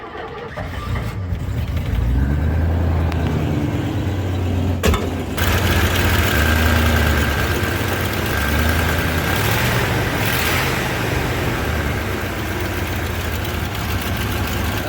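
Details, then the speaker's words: 1987 Ford F150 302 V8, automatic C6, 4x4, after replacing the coil with a known-good spare and its bracket pieces: engine catches then runs lumpy and uneven with a wavering drone, cause unknown; rough running. "she's unhappy. I don't know why."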